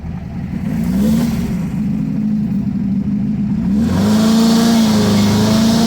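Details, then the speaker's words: 1977 VW Brasília 1600 after cylinder-head repair, Solex 32 carburetor with 28 mm venturi on old 34 mm base, stock cam and compression, tuned for performance, expected to take full throttle without bogging: strong even pull under hard throttle, no misfire, stumble or knock; healthy acceleration. "Então essa configuração que eu fiz aqui ela é uma configuração visando o desempenho você pode atolar o pé com vontade que ele não vai embolar ele vai funcionar retinho pelo menos a expectativa é essa"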